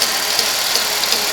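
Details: 1991 Buick LeSabre, original 3800 Series 1 engine, idling: light, regular tick about three times a second, hard to locate; damaged serpentine drive belt ticking.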